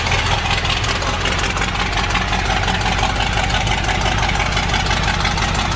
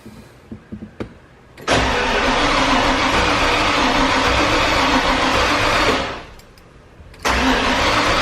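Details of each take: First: Bronco engine with newly installed FiTech EFI and replaced cylinder head, after timing set: fast, even ticking idle with steady low rumble, no stumbles or misses; running cleanly. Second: Ford Bronco 351 with newly installed FiTech EFI and new intake manifold: two long bursts of starter cranking, never firing, no spark; suspected miswiring of the simple two-wire distributor.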